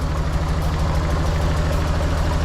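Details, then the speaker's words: Nissan 240SX KA24DE, first start after removing timing chain guides and cleaning the tensioner: heavy, lumpy, shaking idle with uneven throb; owner wondered if cold, then suspected spark plug wires on wrong, causing misfire. "A lot of shaking. Not gonna lie, that does not look good. I wonder if it's a cold thing or what, but at this point, I'm just gonna let it run."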